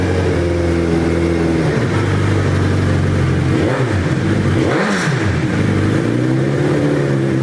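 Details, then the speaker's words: Suzuki Hayabusa GSX1300R motorcycle, being checked after a wreck, revved in neutral (not yet put in gear): crisp, even revs rise and fall cleanly off a steady idle, with no popping, ticking or felt exhaust leaks. Normal revving. "That's what a 1300 should sound like. I haven't even tried to put it in gear."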